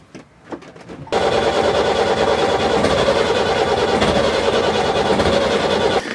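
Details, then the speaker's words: Four-injector diesel being bled, injectors cracked loose one by one: steady, rough cranking about five seconds without firing properly, air in the fuel lines keeping it from catching; air in fuel system. "as we turned it over up there it's starting to catch so you know we're obviously getting the air out of the system doing that"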